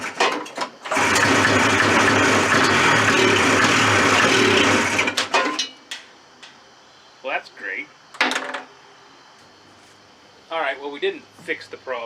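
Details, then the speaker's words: Old Suzuki Fury two-stroke sled with suspected ignition trouble, after an extra motor-to-CDI ground, key switch unplugged and fresh fuel: a ragged, uneven burst that never settles, then dies. Problem persists, cause unclear. "so I think we've successfully determined that the problem still [Music] exist"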